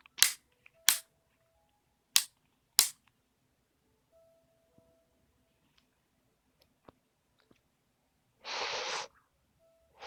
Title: Nintendo 3DS XL: Clicking Noise = Spinning Icon